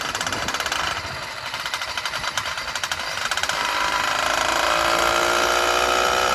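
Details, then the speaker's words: Brand-new F-Zero A301 two-stroke motorized bicycle engine, first start: choppy, uneven popping that settles into a steadier buzz; owner thinks it is running rich and may need jet changes. "course brand new motor you might have to make some adjustments change the Jets and sounds like it's running real RI it's running good the first start"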